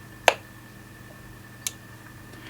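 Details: Galaxy DX98VHP 10-meter radio with a DC power fault and blank display: three sharp isolated clicks about a second apart over a faint steady hum; relay cycling, traced to a poor factory solder joint on transistor Q37 in the supply.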